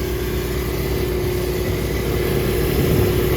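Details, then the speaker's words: 1999 Rheem R22 rooftop unit on a commercial building: a steady mid-pitched compressor hum with constant tone and no cycling, yet the unit is discharging only ambient-temperature air; running without cooling. "Discharging ambient temperature air. Hear the compressor running."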